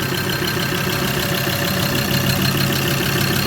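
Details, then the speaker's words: Ford Ranger 3.2L diesel, first start after head gasket repair, intake not fully reassembled: even idle with quick clatter about three beats a second, a bit noisy while oil pressure builds, no misses or knocks; normal idle. "that is beautiful bit noisy because we're waiting on oil pressure to get up"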